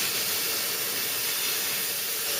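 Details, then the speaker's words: Ford Cortina Mk3, Dinitrol cavity wax sprayed into the doors with a spray gun: steady even hiss of air and wax with no sputter or surging, giving excellent coverage. "coming out now absolutely fantastic coverage Wow better than I remembered"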